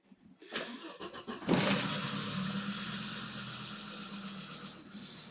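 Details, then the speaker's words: 1991 Audi 90 quattro Sport 20v that sat about 14 years, after its gravity-fed tank was drained and refilled with fresh gas plus Sea Foam: it cranks briefly, catches cleanly and idles evenly with a faint ticking, said to be common on 20-valves. This is a normal start. "now it's actually idling very nice still a little ticky and stuff which pretty common 420 valves"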